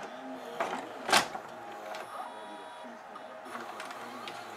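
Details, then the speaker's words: GoVideo DVR4000 DVD-VCR after repair of cracked take-up drive gear detached from clutch, glued back: quiet whirring and soft mechanical clicks as tape loads and threads, no grinding or chewing; normal tape load, plays. "hit play there we go it's playing"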